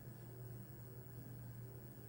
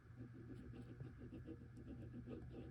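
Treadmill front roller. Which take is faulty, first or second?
second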